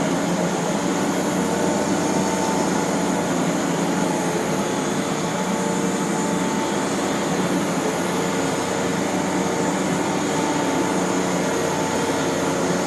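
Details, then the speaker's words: 1993 Rainbow D4C SE canister vacuum running after all its bearings were replaced. An even, steady motor rush with no rumble, rattle or warble: normal running, and the bearings sound smooth and healthy. "I have never heard this particular machine sound as good as it does. So really happy that the bearings are all freshened up."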